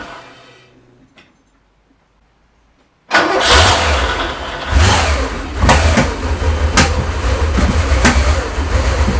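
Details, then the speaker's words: Porsche 928 V8 after engine rebuild, with vacuum lines just removed; catches and runs but idle surges and stumbles, can't stay running on its own, stalling rough running. "it's really struggling now isn't it I don't know what's it now"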